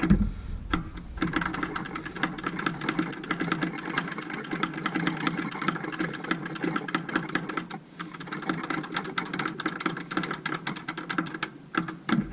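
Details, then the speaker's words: Massey Ferguson 550 tractor, after fuel filter change, hand-priming lift pump: rapid even ticking clatter as fuel reaches the pump, still bubbly with air; normal lift pump operation. "Let's keep pumping a bit more. Oh, sounds like we're getting somewhere."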